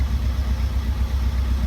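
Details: Fiat 500 diesel, after oil and filter change and flush, running 50 minutes on its third DPF regeneration with little smoke left: steady deep idle held slightly raised, no misses or knocks; raised idle during regeneration.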